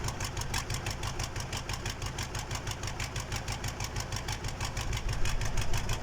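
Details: KAMAZ diesel engine's first start after a major overhaul: it settles into a steady, even idle with a regular low clatter and no misses or knocks; normal idle.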